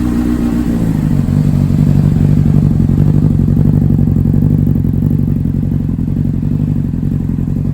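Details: 2005 Honda CBR600RR, 4,299 miles, long-stored, spark plugs replaced after old gas, idling after cold start while warming toward 154°F: steady, even low burble with unchanging beat; normal idle.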